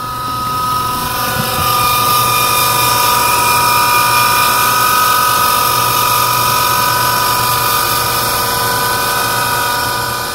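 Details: Flint & Walling SBJ series centrifugal irrigation pump, model 94J115, 13 years in service, before bearing replacement: steady run with constant high-pitched whine and rough hum over motor drone from bad motor ball bearings.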